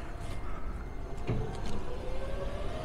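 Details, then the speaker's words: Tesla with Setec CCS adapter on firmware 148 at a BTC Power station: two sharp relay clicks half a second apart, then nothing; car shows charging but gets zero power, station reports isolation test failed. "one click two clicks now we just need this to click the car is ready the car thinks it's charging but the station will not start look see the car says it's charging it's just not getting any power the station still says initiating isolation test failed"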